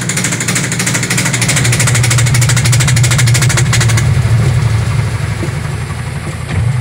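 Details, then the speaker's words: Sharp automatic washing machine over 10 years old, spin-dry speeding up: low drone under rapid uneven thumping about three knocks a second; wobbly tub hitting the cabinet, defective tub assembly. "Yan, sobrang mapalag yung kanyang tab, kaya bumabangga siya, kaya nag-iingay siya."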